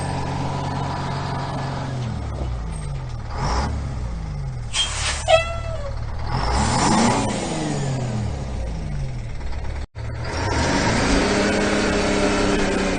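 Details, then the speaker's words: 1974 Ford 9000 truck with 8V71 Detroit two-stroke diesel moving a trailer: revs sag and pick back up, hunting unevenly with a brief dropout, a stumble; fuel system acting up again, suspected loss of fuel pressure. "Sounds like the screaming Ford is losing fuel pressure, which isn't good."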